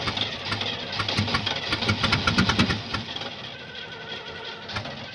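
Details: 1975 Oldsmobile that won't start: starter turns the engine in uneven chugging beats for about three seconds, then dies away without catching; cause unknown.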